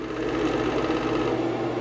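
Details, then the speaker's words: Vintage Kodak Brownie 500 A5 movie projector No 225 running forward and then reverse; the take-up reel pulls, and the free reel sometimes spins unexpectedly; fast even mechanical chatter with steady hum and no grinding; running smoothly. "That's the reel that pulls. This one should just be free with light tension. Oh, for some reason it spins sometimes."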